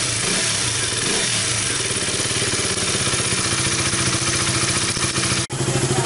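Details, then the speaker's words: KTM RC 200 single that had stalled from low fuel pressure, after replacing the leaking fuel pump hose, pressure now about 40 psi (normal 40–45 psi, 2.7 bar): steady, even idle with smooth beat, no misses; running normally after repair. "So yan na nga po, natapos na namin na gawin yung motor. So it's a live na ulit."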